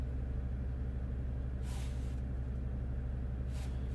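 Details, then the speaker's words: 2015 Jeep Grand Cherokee Overland, Quadra-Lift closed air suspension with replaced compressor, faults C156E and C15D9: steady low droning hum with two short hissing bursts; compressor runs but vehicle won't rise, likely low system air mass/empty reservoir. "yeah the compressor runs but the car doesn't move this height um because of that low air mass"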